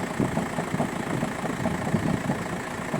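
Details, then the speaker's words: VW Golf 5 diesel at cold idle: loose, uneven knocking about four or five times a second from a worn dual-mass flywheel; clutch works normally, noise appears when cold and disappears with clutch pedal pressed. "это звук звук когда постукивает двухмассовый маховик сцепление работает как бы нормально не пробуксовывает хорошо включается проблем нету но вот на холодное начинаются такие вот звуки"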